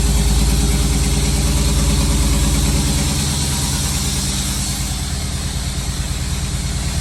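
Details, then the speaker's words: 1992 Chevrolet Camaro Z28 V8 after fuel pump and sending unit replacement, with exhaust connected: deep, steady idle settling slightly lower after start, firing evenly with no ticks or stumbles; healthy. "Gonna install everything back and wow, it sounds really good, guys."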